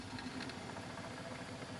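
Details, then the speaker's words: Revox PR99 or Ferrograph Series Seven reel-to-reel recorder, possibly faulty: rough, steady, harsh whirring rumble during fast rewind, source not yet known. "now that noise is quite horrible so we'll rewind"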